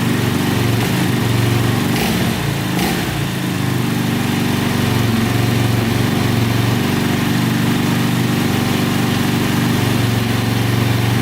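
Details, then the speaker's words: 2004 DVX 400 quad, start after repairing every bent valve, which caused a no-start and loud click; steady even single-cylinder putter at fast idle, no ticking, knocking or leaks, the engine idles cleanly. "so far so good no leaking or anything sound pretty good so i think that's fixed awesome"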